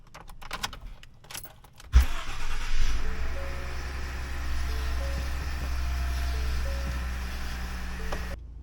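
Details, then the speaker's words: 2015 Ford F150 2.7 EcoBoost after purge valve/solenoid replacement for won't-start-after-refuelling (long cranking): short crank catches at once, settles into smooth even low idle; normal start and idle. "We'll put the cover back over the engine, fire it up, make sure everything runs okay."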